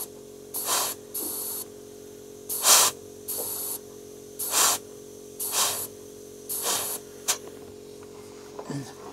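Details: Ford F600 U-Haul truck with plugged fuel system, air blown back through the fuel line from the tank: short hissing bursts every couple of seconds pass freely, no pressure build-up, air splashing in the tank; line clear.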